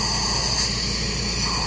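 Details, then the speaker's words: 2005-2007 6.0L Powerstroke high pressure oil pump on a bench test with air: constant sharp hiss, no pressure building, air blowing straight through and out the inlet side; suspect pump confirmed bad. "that is easy to determine this pump is no good"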